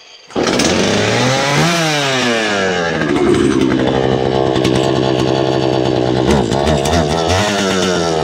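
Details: Poulan Pro two-stroke chainsaw, owned about 12 years, cleaned up for a new season with its air filter cleaned and refitted, oil pump being checked. Revs up, then holds a clean, steady high buzz without stumbling: running healthy.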